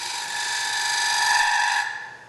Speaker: you hear that chatter. In cherry, I'm not worried about it. If this was another wood again, I would support the piece by anchoring my hand on the tool rest and giving it support.